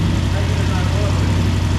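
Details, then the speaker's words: Ford Fiesta Mk2 with a Zetec turbo engine that had sat for two years, first start: low idle with an uneven, lumpy beat as one cylinder keeps dropping out; misfire. "It's idling. Can't tell if it's missing or not. Sounds like it's missing."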